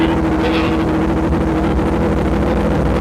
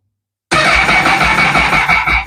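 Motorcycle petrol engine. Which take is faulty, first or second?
second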